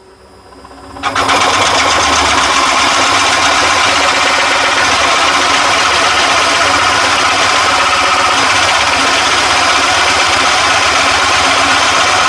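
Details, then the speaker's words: One-horsepower Nova Viking drill press boring a 60 mm Forstner-bit hole in oak: motor spins up in about a second, steady even hum with cutting hiss, no bogging; clean hole, normal operation under load. "as you can see That's really nice and clean hole. And that's 60 mil on a piece of oak. So really nice and strong drill press."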